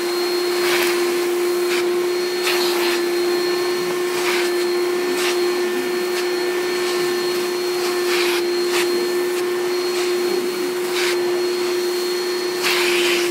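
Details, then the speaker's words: 1995 Hoover Turbopower 3 U2876 vacuum with tool: steady, even motor hum with constant high tone, brush and suction bursts; belt squeaks at shutoff. Normal running. "um but yeah it runs very well actually"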